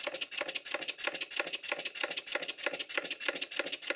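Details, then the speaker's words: Stuart Twin Victoria model steam engine before repair, with excessive big-end play, loose valve gear and crosshead play: sharp metallic piston knock at about three beats a second, like a pneumatic drill, piston striking the cylinder cover; reluctant to start, needed a push. "And the first thing that becomes apparent is it sounds like a pneumatic drill."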